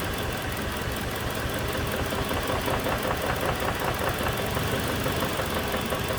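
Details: 2007 Toyota Tacoma 2.7 four-cylinder, cylinder 1 injector cut: an uneven heavy knock of about two to three hits a second under a rough-running engine, a double knock; teardown found a spun connecting rod bearing.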